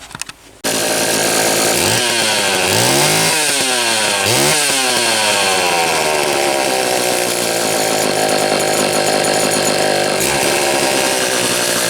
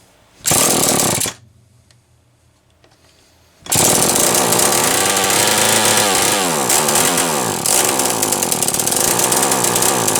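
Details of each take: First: Homelite XL-123 chainsaw after condenser replacement fixed ignition popping and banging: crisp, even two-stroke buzz revving up and settling cleanly without popping or misfires; now running normally. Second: Homelite XL-123 chainsaw, unused about six years, carb already cleaned: fires briefly, dies, restarts and runs with a wavering, surging pitch and uneven beats; intermittent misfire, ignition problem suspected (switch or something else), not confirmed.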